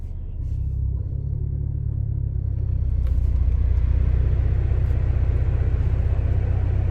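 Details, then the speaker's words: Ford Focus ST with CP-E stage 2 rear engine mount, fully warmed up at idle: deep drone swells when AC compressor engages, vibration into cabin rattling child seat; stiff mount. "i'm getting a high quality massage in my i'm sure you could probably hear that child seat rattling not sure if it's picking it up but it is pretty noticeable right now"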